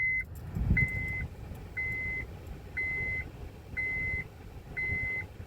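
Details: 2002 Honda CR-V after replacing the Multiplex Control Unit: six evenly spaced high-pitched beeps about once a second in a quiet cabin; the seatbelt reminder chime works, and the seatbelt light comes on, which it did not before.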